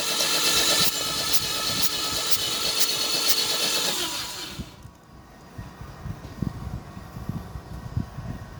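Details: Toyota Vios petrol engine that sat 3 months unstarted, lost compression though fuel and spark present: starter cranks about four turns a second for several seconds without catching; extended no-start cranking.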